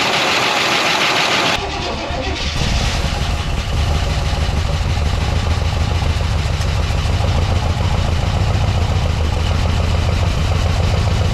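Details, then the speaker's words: 1969 Buick Wildcat, parked in a barn lean-to since 1998 (26 years), first cold start after fuel was pumped to the carburetor: brief crank, catches, and settles into a steady idle with a light lifter tick and no deep knock; lifters noisy from sitting. "but that's the sweet smell of success on one of these old cars the engine sounds good knock free lifters are a good bit noisy"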